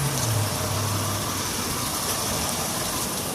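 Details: 2001 Honda Odyssey 3.5 V6 at 570,000 miles, idling with code P0304 and check engine light on; cylinder 4 coil pack missing so it runs on five cylinders: uneven, loping idle with a regular stumble about three a second; single-cylinder misfire.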